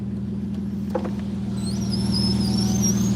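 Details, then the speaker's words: BMW E85 Z4 Roadster, stock unmodified engine, running after new fuel pump and initial misfire cleared: steady, even idle hum with consistent low beat, no stumble or knock; normal idle. "She's running pretty good though, chat. Does it have a built modified motor? No. No, it doesn't. She's She's kind of stuck right now, but she's You can hear her purring now."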